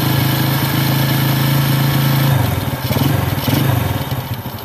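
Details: Carburetor air screw adjustment; after turning for highest rpm, fast steady idle sags and goes lumpy and uneven as revs drop, air screw set too rich, engine warmed up.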